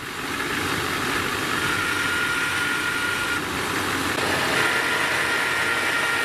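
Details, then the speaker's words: LBZ Duramax Chevrolet truck diesel idling, with a thin buzz or hum fading in and out over the engine noise from a failing idler pulley bearing. "that sort of a buzz or a hum that you're hearing off and on"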